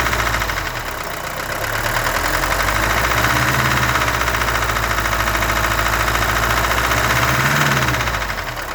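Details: Mercedes-Benz W123 200D diesel at steady idle with a hard regular knock about three to four per second, always present though the car runs fine; owner suspects glow plugs or possibly cam, crankshaft or rod bearings, unconfirmed.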